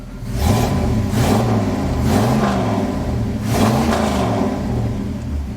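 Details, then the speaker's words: Dually truck after an exhaust leak repair where the pipe meets the manifold: revved up and down, smooth deep tone rising and falling with speed, no ticking or puffing; exhaust sealed. "much better I did have to fight with the pipe where it goes onto the manifold that for stop leaking"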